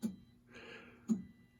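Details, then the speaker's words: Gottlieb Black Hole MPU running in a Spider-Man pinball during diagnostic test 16 (lamp test): two crisp single relay clicks about a second apart; relays switching normally. "And now that I have everything hooked up, you can hear the relays clicking."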